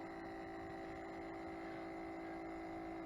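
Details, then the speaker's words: Original Ion Redline supercharger intercooler pump, about 116,000 miles, removed and bench-wired to a 12 V battery: wouldn't run until tapped with a screwdriver, then a steady electric hum with a clear whine; a worn, sticking pump. "Okay, I just removed the intercooler pump out and I wired it into a battery, 12 volts, and it is not working. I'm going to give it a little tap with this famous screwdriver that some people know. And we have action."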